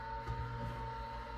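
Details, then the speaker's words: Old MFM hard drive, degaussing tool brought near the platters: steady hum with a thin, slightly wavering whine as the spindle motor labours against magnetic drag on the discs. "As I approach, it's going to actually apply drag on the discs, and it's probably going to quit spinning. Well, maybe not this time. Oh, there it goes. You can hear it struggling to spin."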